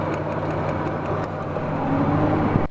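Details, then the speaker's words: Engine running with a faint, regular tick or pop over the idle: spark arcing out the side of an in-well plug wire, stretched when pulled back, is causing the misfire. Fix is new plug wires, and plugs too. "I mean, if that spark's popping out the side, that's going to be the reason for your misfire. You're going to need to put some plug wires in there."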